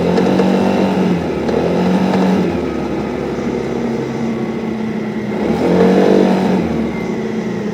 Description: Beim Beschleunigen nagelt der Motor